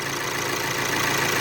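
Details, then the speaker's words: VW Amarok turbo diesel, automatic, after timing belt and tensioner replacement with cam and high-pressure pump timing corrected: steady, even idle with smooth clatter and faint whistle, no knock or tick, no more coolant leak; healthy. "ó galera tamaral aqui funcionando ó de boa não vazou mais nada aí montar a carenagem agora e andar galera isso"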